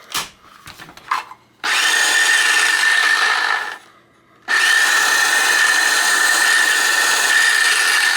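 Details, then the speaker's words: Used DeWalt DW930 cordless trim saw, previously slow, noisy and not always starting, after disassembly, cleaning, Evaporust on rusty parts and freeing stuck brushes: clean, steady high motor whine, two smooth runs, no rattle or grind; much smoother than before. "Much smoother sounding than it was before."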